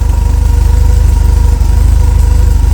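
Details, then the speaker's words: Porsche 944 after replacing the entire exhaust system (the old one was stick-welded and pasted together): steady, deep, even idle with no ticking or leak puffs; the exhaust sounds sealed and healthy. "Well, it actually sounds like a real car now."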